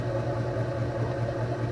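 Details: Sailboat electric drive motor after realigning propeller shaft on loosened mount, which had caused ticking: steady low hum with faint even pulse, no rubbing or knocking; running smoothly after repair.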